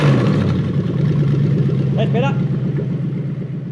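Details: Toyota 3UZ V8 swapped into a 2005-2015 Hilux 4x4 on a conversion wiring loom, started after jumping 12 V to the airflow meter and clearing codes; steady idle with a brief quick rev that climbs and drops back cleanly, running smoothly.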